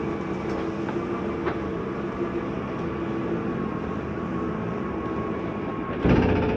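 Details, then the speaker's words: 2020 Coachmen Spirit 2454BH travel trailer slide-out extending: a steady whirring motor hum with a faint tick, then a brief louder clunk at the end as the room reaches full out. Normal slide-out operation. "once that's all the way out you will hear that noise just just a slight mechanism saying hey I'm out all the way"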